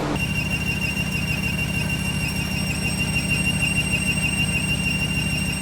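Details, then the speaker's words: Ram 1500 pickup with a swapped Hellcat 6.2 L supercharged V8: a loud, constant high-pitched squeal rides over the drivetrain noise; the automatic transmission squeals despite refilling, cause undetermined. "long story short this transmission is absolutely squealing like a pig"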